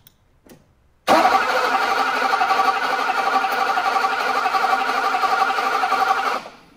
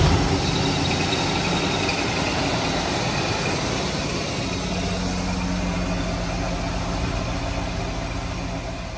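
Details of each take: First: 1985 (believed) Mercedes 500SEC, K-Jetronic, cranking with modified ignition control module and original coil: starter spins steadily about four beats a second for five seconds, never catches; no-start traced to a weak original ignition coil. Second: 1985 Mercedes 500SEC, K-Jetronic, after swapping the original ignition coil for a substitute coil on a modified ignition module: engine catches and settles into a steady, even idle with low rumble, no misses or stumbles; normal idle.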